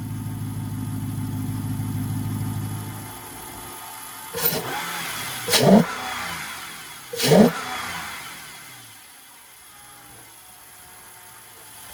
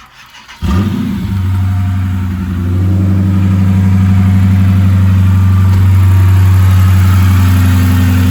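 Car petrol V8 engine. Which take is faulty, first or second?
second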